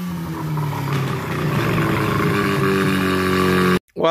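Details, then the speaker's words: Freshly rebuilt rotary engine for a Ford Ranger swap, first test run on the old carburetor with coil wiring not quite finished, smoking two-stroke oil. It runs steadily with a buzzy, slightly lumpy note and no knocks, so it runs okay but still wants tuning. "that is what we call a successful test run i am totally smoked out two-stroke oil which is excellent it's not it seems to be running okay it needs some more tuning of course"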